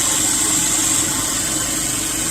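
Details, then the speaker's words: 2010 Subaru Impreza 2.5 non-turbo, 113,000 miles: replacement engine idling after coolant fill, heater working, no leaks; steady even idle under loud fan hiss, no knocks, ticks or misses. Normal idle. "Alright, she's idling. Right about there. I got heat, which is a good thing. No leaks. Big old mess. Got everything idling."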